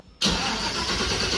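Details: First start of a 1967 Chevy II Nova with freshly rebuilt 5.3L LH6 (799 heads, rings opened for boost), BTR cam, LSA swap, new fuel system after pumps cleared of junk; silence, then it catches at once and runs loud and even, no knocking: normal start.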